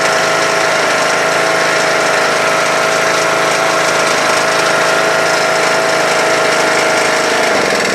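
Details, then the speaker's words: Troy-Bilt Super Bronco/Pony lawn tractor (17.5/20HP Briggs Intek single, 42" deck): steady drone at high throttle, sags and stumbles toward stalling when throttled down; owner thinks it needs warming up; carburetor later replaced. "so the minute I take it from high throttle or choke to high throttle and then when I lower it it wants a stall so needs to warm up a little bit I think"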